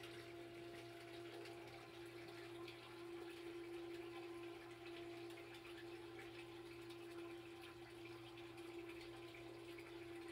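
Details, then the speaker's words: Sump pump air-locking from incoming water stream pushing air bubbles under it, pumping slowly: steady motor hum with faint watery churn; pitch drops as bubbles clear and it empties most of the pit before re-locking. "if you can hear the pump and you'll hear that those pitch of the sound has just dropped that happens when the air bubbles get pushed through and now it's gonna empty most of the way"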